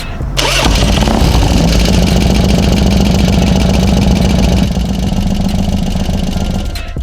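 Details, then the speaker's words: 2002 Harley-Davidson FXDX Dyna V-twin started after sitting, following a primary-case rattle repair: loud lumpy idle with a fast light valvetrain tick; motor oil is present, owner suspects dry engine from sitting on its side. "come on something's kicking something's ticking don't sound too good man"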